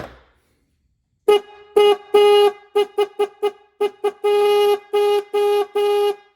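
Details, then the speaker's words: Restored rust-cleaned 1950s-60s Ford Mustang horn after adjusting screw tuning: series of short and long honks with clean steady tone, no rasp or flutter; high horn properly adjusted, sounding normal. "That's pretty damn good. So, that's the high horn. Here's the low horn."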